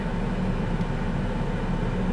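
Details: 1998 Chevy S10 4.3 Vortec V6, warm idle after intake gasket replacement and coolant refill, running cooler than before (owner suspects old thermostat was sticking); low smooth steady rumble, no ticks, knocks or misses; idles evenly and healthily.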